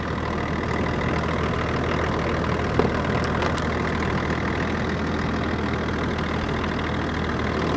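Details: 24-year-old Range Rover P38 diesel, abandoned five years, jump-started and idling to warm up to thermostat temperature while bleeding air from the coolant system: smooth, even diesel idle with steady low clatter, no misses, knocks or hunting; sounds really nice.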